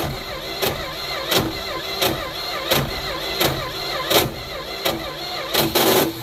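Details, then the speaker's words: Neglected 1972 Plymouth Fury I, gas poured in: slow, uneven cranking with a rasping whir about every 0.7 s and no firing; owner wonders whether there is spark and suspects the starter is junk. "Well, that's a major bummer. Wonder if we're even getting spark."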